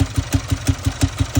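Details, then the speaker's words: 2017 Jaguar XF diesel with engine knocking, idling with the oil filler cap off: hard, regular chuffing of about six pulses a second shows heavy blow-by. There is misfire on all four cylinders and camshaft position codes; an internal problem, possibly valves, is suspected. "Once you take this off, any diesels should not have blow-by. Look at how much blow-by there is."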